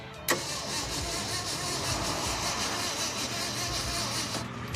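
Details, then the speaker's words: 1967 Ford F-250 4x4 gives steady, even starter cranking for several seconds but never fires: no spark. Heavy arcing across the ignition points inside the distributor had eaten up and destroyed the points. "we traced it all back down inside the distributor and we noticed there was a huge uge sparkk across the ignition points when they would open those Sparks will eat up the points which is exactly what happened"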